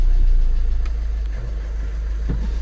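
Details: 2011–2012 VW Passat estate 1.6 TDI 105 hp (CAYC) diesel after major service oil change: catches cleanly and settles into a steady, even low diesel rumble with no knocks or misses; normal start and idle.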